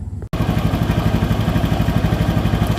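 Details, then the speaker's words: Honda Vario 110 with no electrics, starter jumpered: a fast even whirring pulse runs on as soon as the starter motor is connected, without pressing start. Mechanic suspects a stuck starter bendix; starter relay also shorted, battery not charging. "begitu tak pasang belum diarter sudah bunyi sudah dinamonya nyala kayaknya bendiknya nih"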